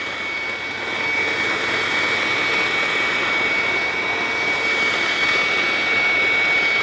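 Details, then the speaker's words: Hoover WindTunnel self-propelled vacuum on carpet at high setting, self-drive on: steady high-pitched whine over loud airy rush with a faint uneven pulse; runs very oddly and won't turn off normally, cause unknown. "and of course it doesn't turn off normally that's kind of weird"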